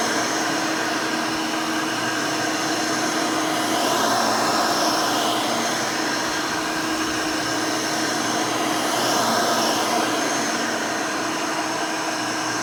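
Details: Rebuilt Hoover Elite 600 upright vacuum, built from parts of several Elites, with a new 7 amp, 20-blade-fan motor replacing the original 6 amp: a steady, even high whine with a constant airy rush and no rattles or surging. Runs smooth and fairly quiet.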